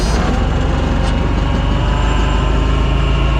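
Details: Wisconsin V465D air-cooled V4 skid steer, not fully warm and on choke, after a new ring gear, refurbished starter and new spark plugs fixed earlier misfires: steady, even low thumping idle with no obvious skips.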